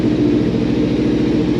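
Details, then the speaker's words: 2014 Kawasaki Ninja 300 twin, sat about 8 months with dead battery, fired up instantly on first revolution, in neutral: steady even idle, constant low burble, no misses or ticking; healthy. "look at that see this thing fired up it turned over like one revolution nice dude"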